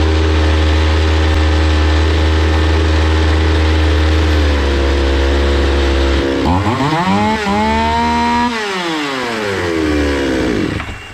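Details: Zomax 5020 two-stroke chainsaw after carburetor cleaning and mixture screw adjustment (closed 180°, about 3 and 2.5 turns out): steady even drone, revs up cleanly and drops back without stumbling; now running properly.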